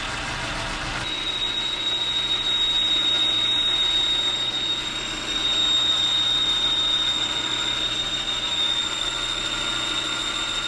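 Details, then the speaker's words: Boring a part for a Rockwell Delta 6 in. tool grinder with a smaller boring bar and insert: piercing, steady high-pitched squeal through the cut. Boring bar chatter, possibly a worn insert edge, unconfirmed; the insert is turned to a fresh edge next. "That sounds terrible. Doesn't look terrible, but boy, does it ever sound terrible."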